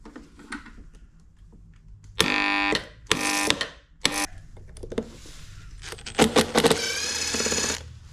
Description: If your electric lawn mower won’t start and just makes noise or struggles to spin the blade, the problem is often a worn or seized bearing.